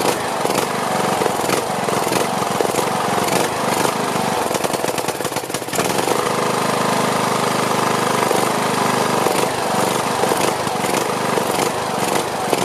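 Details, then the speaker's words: Briggs & Stratton Platinum 21hp mower engine, once repaired for camshaft problems, just restarted with fresh oil, gas and battery: rough uneven pulse, speed rising and falling every few seconds; surging, owner suspects dirty carburetor. "sounds like the carburetor is it's pulsing so it sounds like the carburetor needs to be cleaned"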